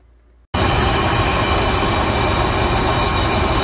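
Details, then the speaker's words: 2004 Dodge Ram 1500 4.7 L V8 after refitting a cam follower that had spat out on cylinder 4 exhaust (suspected collapsed lifter): catches and settles to a steady, even idle, no tick, vacuum steady near 16 inHg. Normal idle. "it's running much better i just threw the valve cover back on"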